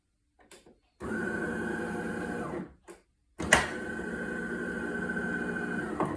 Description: Problem buzzing noise followed by steady red '!' light and flashing green cup lights on DeLonghi Magnifica start up/cool down.